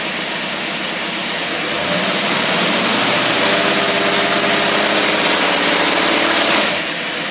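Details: Engine running an Autolite carburetor on test, simulating a load uphill: revs up smoothly and holds a clean, even roar for several seconds before dropping back; no stumble or misfire, carburetor pulls fine.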